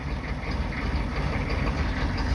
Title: 1995 Chevy 3500 6.5L Diesel (Hard Starting Smoky Cold Start)